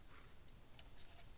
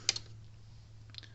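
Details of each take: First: Gallagher Power Plus S50 solar electric fence charger after a new transformer was fitted: soft sharp ticks about two seconds apart, quieter than before, output almost 10,000 volts; on/off switch still misbehaving. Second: Gallagher Power Plus S50 solar fence charger on a ~13 V bench power supply: sharp snapping clicks about a second apart over a faint hum, louder than normal though output is good; the transformer is arcing inside.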